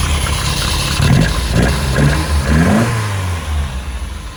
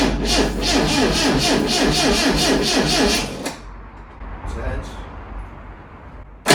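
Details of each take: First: Lotus Elite revived after ten years in a barn, after cleaning debris from the carbs and adding fresh fuel. Still cold, with fantastic oil pressure and charging. It idles and blips smoothly with an even firing beat and no knocks or misses. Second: Lotus Elite, first start attempt after ten years laid up in a barn: even cranking at about four beats a second, a pause, then more cranking with no catch; easy-start spray is tried next.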